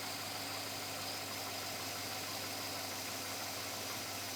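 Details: 2007 Chevrolet Avalanche V8 at about 86,000 miles; steady idle with a persistent light knock over the engine note, owner unsure whether engine knock or piston slap, unresolved after four dealer visits.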